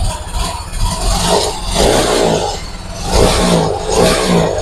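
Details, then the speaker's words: Yamaha Mio Gravis 125 scooter that was hard to start, after cleaning the magneto and stator and fixing the socket: fires up on the button and revs cleanly in a few even swells, no misfire or stumble; running normally. "Okay na siya. Yun lang ginawa ko mga ka-ride para mag-start itong motor na talaga kasi hirap talaga siya mag-push start."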